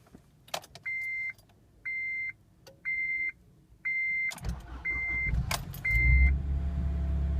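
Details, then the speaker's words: 2005 Acura RSX Type-S cold start: four chime beeps, a short crank, then it catches hesitantly and stumbles, a very weak start, before settling into a high cold idle that surges above 2000 rpm; cause unknown. "When I start it up, it sort of hesitates. Very weak start."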